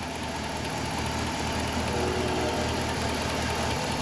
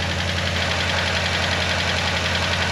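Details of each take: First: Hemi Dodge Ram with 175,000 miles, revived after being parked for 2 years, at warm idle. An even V8 idle with only a faint light tick in the background; runs smooth. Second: Hemi Dodge Ram started after being parked 2 years, cold; quick light ticking over a steady loud idle, typical Hemi lifter tick, hoped to go away.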